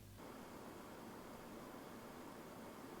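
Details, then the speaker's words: Fractal Design Mood Mini-ITX PC, back-to-back with and without graphics card dust filter (CPU 90 to 89°C, GPU 79 to 75°C): even steady airy hiss, normal. "A quick back to back, this is with the filter, and this without the filter."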